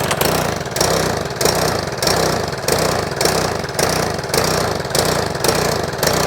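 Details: Troy-Bilt lawn mower after valve clearance adjustment, owner concerned by oil and black deposits on the old spark plug: engine swells and sags about every half second, hunting near 100 a minute; surging, uneven running.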